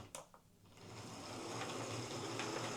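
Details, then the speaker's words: Hornby HST model locomotive, the second of two in for service and new brushes, on test track: soft, steady whirr at even pitch with no clicks or grinding, much quieter than the rough first one; seems okay. "Yeah, that one seems okay."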